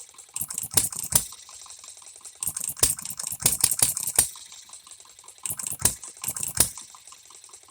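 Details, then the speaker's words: Economy hit-and-miss engine, new shop-made piston and rings: sharp firing bursts in uneven clusters with quiet coasting gaps, irregular firing; first time it has hit, missed and kept running, though it needs tweaking. "I guess this is a a personal victory for me because I've never once heard this engine hit and then miss again and continue to run to hit and miss again"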